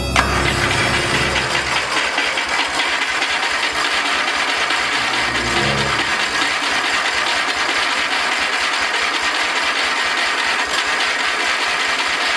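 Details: Kohler Magnum 20 engine on a lawn mower tow vehicle, idling after valve job with lapped valves and carb rebuild: steady, even putt about four beats a second under loud music; runs smoothly, healthy.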